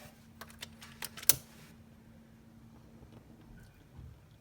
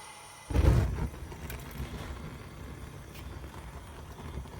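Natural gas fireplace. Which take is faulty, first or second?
first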